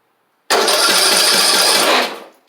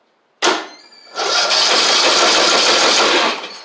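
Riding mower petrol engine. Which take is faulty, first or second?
second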